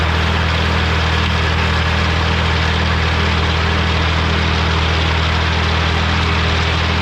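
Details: Morra F25-6 disc mower on a tractor, test run after repair (it had a pod bearing failure the year before and is down again). Steady, even low drone with a constant hum and no knocking or metallic contact; the drive runs smoothly.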